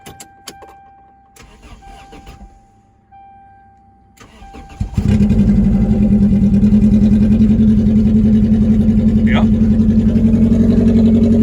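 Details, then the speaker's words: Junkyard old Toyota Corolla, 293,000 miles, wrecked with a busted dry radiator: catches after a few cranks into a loud, raspy, unmuffled idle. Catalytic converters apparently cut off. "I don't want to run it too long without cooling in the radiator, but it sounds like they definitely already cut the cats off of it."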